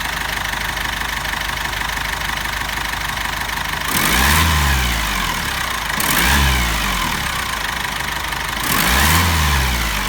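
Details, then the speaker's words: Cummins ISF 2.8 diesel in GAZ Sobol, near 200,000 km, after timing chain kit replacement (knock was chain tensioner shoe) and new hoses: steady even idle with brief speed swells, no knock; normal idle. "мотор работает ровно на вибрациях корабли и так до работает неплохо"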